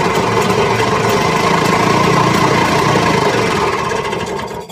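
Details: Snowmobile-show Penguin that quit in forward and reverse and would not restart, running again; single engine chugs at a steady, fairly even beat with no misses, then winds down, running cleanly.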